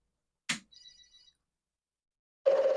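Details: Commodore 4040 disk drive with an 8296 PET, power-on after reversing a PET-to-IEEE cable (first tried upside down, interface not present): sharp click, faint chirps, then steady mid-pitched hum; drive powers up normally, directory loads.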